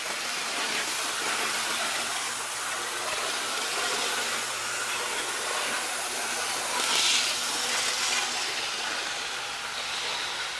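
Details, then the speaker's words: Blue Box Athearn Union Pacific No. 53 locomotive after rebalancing (slight material removed) to fix rough running and derailing: small motor whirs with a steady, even hiss, no catches or surging on the test track; sounds better, feels faster. "I'll take it to the track and we'll do another test run, see if it's actually any better. It sounds better, and it feels faster."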